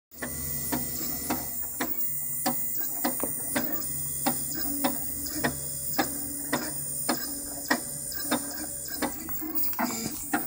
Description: But is it supposed to make weird ticking sound when it extrudes?